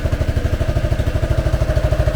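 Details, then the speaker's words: 1986 Honda Helix scooter after a new coil fixed a no-spark fault and a new drive belt was fitted: even low thumping about thirteen beats a second, no scraping or drag; wheel spins freely and brake stops it; normal belt drive. "Nothing holding on that too tight. It's just sort of free spinning there."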